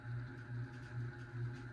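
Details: 52-inch unknown-brand bronze hugger ceiling fan (Harbor Breeze brackets, Hunter blades, Patriot Lighting Arthur housing) on medium speed: low hum pulsing about twice a second with rhythmic throb; fan wobbling badly and buzzing, feels like it could fall.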